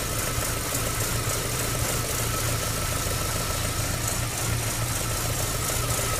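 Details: MG ZR 105 idling: recurring pulsing knock-like beat over the running note. The noise comes and goes despite new plugs, leads and alternator belt. Intermittent abnormal engine noise, cause unknown.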